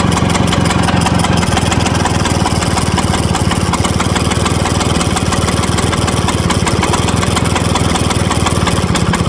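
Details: Vespa VBB 1963 two-stroke idling with a busy, buzzing rattle over its rapid firing beat. The scooter also won't start after it warms up.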